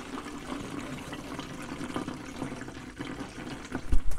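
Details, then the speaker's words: Ford Model A that won't start, during troubleshooting: a steady, unbroken gush of fuel splashing at the carburetor with no sputter or gaps, so fuel supply is fine; the K&N air filter was clean and unobstructed. "yeah, plenty of fuel flow. So that's a check. We're getting fuel to the carburetor."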